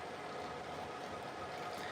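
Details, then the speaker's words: 3D printer high-flow test printing clear PETG that is a little wet: dense crackling pops of the filament bubbling in the hotend over a steady fan and motor hum. Slowing down and reducing temperatures would improve quality. "you can hear all these this filament is a little bit wet so you can hear the bubbling and popping like if I wanted perfect quality I'd have to slow it down a little bit and uh reduce the temperatures"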